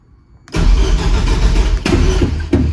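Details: Heavily modified Nissan Juke build, starter with clutch interrupt, before fuel pump powered: quiet, then starter engages with clutch pushed and turns the engine over in a steady even churn with no grinding; healthy cranking.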